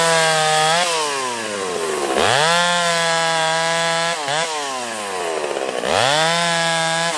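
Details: Freshly ported Stihl 031 AV chainsaw, exhaust port roof raised and transfers cleaned up: screams up to a high crisp rev, pulls down smoothly into the cut and recovers cleanly; running better than ever, sounds brand new; normal under load.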